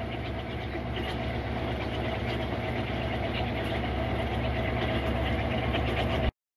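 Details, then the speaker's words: Whirlpool WTW4816F washer after shift actuator/mode shifter replacement (had clicked and not agitated): steady, even motor hum building smoothly into spin, no clunks or grinding; agitating and shifting to spin normally. "all right here's the machine and it's spin cycle so it's agitating and shifting over to spin just fine"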